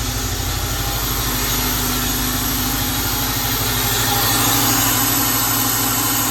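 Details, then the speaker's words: Honda Element, check engine light came on while driving, misfire code P0301: rough, lumpy idle with an uneven low thump about three times a second, whole car shaking; one cylinder dead. "That doesn't sound too bad actually. But no, it's dead. Like it's shaking like See that? Everything's just shaking."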